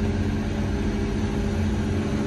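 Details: John Deere diesel after its three thermostats were replaced (one was bad and let coolant bypass), now reaching 124 degrees in loader mode. A steady, deep drone with a constant hum and no knocks or surging, holding speed under load.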